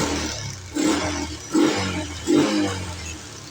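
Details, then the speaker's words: Yamaha Jupiter MX fitted with a Suzuki Shogun CDI, idle now higher and due for carburetor retuning: three quick throttle blips climbing sharply and falling back cleanly, no misfire; crisp, very responsive pickup. "Putaran mesin saat idle juga lebih tinggi, yang menunjukkan bahwa sepeda motor dalam kondisi normal."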